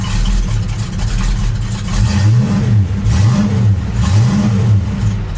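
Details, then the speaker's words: Dodge Dart Swinger 340 V8: deep even rumble with smooth repeated throttle blips, no misfire; cleaned up once warmed up a little, normal revving. "she cleaned up she just needed to warm up a little"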